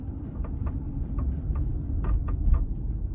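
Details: 2016 Audi Q5 Premium Plus, 19,000 miles, driving on road; sharp irregular creaks and ticks over low road rumble from the panoramic sunroof, diagnosed as worn sunroof rails.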